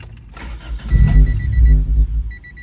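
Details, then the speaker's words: 1995 Honda Civic that starts but won't stay running, intermittent, cluster lights not all on with key on: engine cranks, catches strongly about a second, then dies at once, warning chimes after; faulty ignition switch. "all right now my Civic is doing something new it sounds like it wants to start strong but it won't stay"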